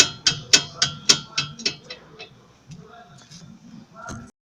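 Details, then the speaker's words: VW front suspension, driver's side, body rocked side to side by hand: sharp knocks about four a second dying away; noise traced to loose sway bar link bolts, not the brake caliper. "sol como vocês viram no vídeo aí tava com esse barulho terrível aí na suspensão dianteira aqui do lado do motorista e fiz de tudo levei na mecânico o e pesquisa na internet e cheguei até a colar a pinça do freio aqui para pastilha e não era ali aí eu acabei descobrindo que era aqui na bieleta certo"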